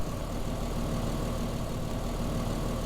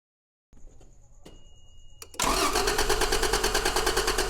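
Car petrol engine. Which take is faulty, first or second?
second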